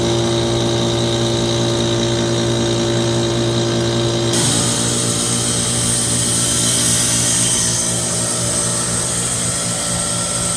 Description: 5-ton Trane heat pump with bad capacitor going through a defrost cycle